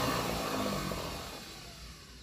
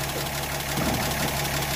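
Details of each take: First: 1937 Pontiac Silver Streak barn find, long sitting, after the points were cleaned, with throttle and choke: the starter churns evenly for about six seconds but the engine never catches. Spark is present but weak. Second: 1937 Pontiac Silver Streak barn find, long sitting, first start after the ignition points were filed: steady, even low idle with regular soft firing pulses and no misses, "purring like a Swiss watch." Normal idle.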